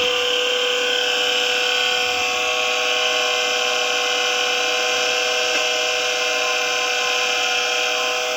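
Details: Kawamoto NF2-150SK well pump sold as junk with many missing parts; steady high-pitched buzzing with a harsh rattly edge, motor noise described as abnormal, cause unclear.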